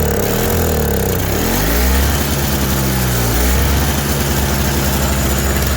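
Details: Toro CCR 3650 two-stroke snowblower after primer bulb replacement, electric-started after priming: catches, revs up and settles, pitch dipping and recovering as it warms; running fine, no misses.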